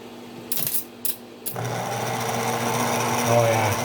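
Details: Diesel starter motor on the bench with the solenoid bypassed: a few sharp clicks, then a steady high spinning whir with a faint rough edge as it spins freely; worn cup washer/spring letting the bendix extend too far, bearings suspected.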